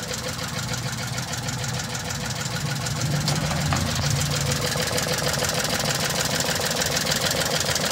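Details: Mitsubishi Multicab 3G83 engine, owner complains of low power: uneven, lumpy idle stumbling about three times a second; cylinder 3 dead, no change after swapping its ignition coil, injector checked, misfire from no ignition signal.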